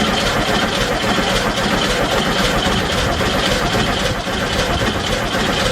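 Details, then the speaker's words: VW Bus at first start, oil at the full line, coil unplugged: starter churns the engine in a steady, slightly uneven rhythm of about two beats a second to build oil pressure. Cranking without firing because ignition is deliberately disabled. "And I'm gonna go ahead and unplug the coil and I'll crank it quite a bit just to get some oil pressure built up, and then we'll go ahead and plug the coil back in and see if it wants to pop off."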